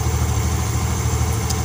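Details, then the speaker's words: Yamaha Xeon GT125 scooter after replacing the worn cylinder block and piston kit, which had made it run rough: a low, steady idle with even pulses and no rattle or misses, and the exhaust no longer smokes. Normal idle after repair. "Hai suaranya sudah halus ya teman-temanku"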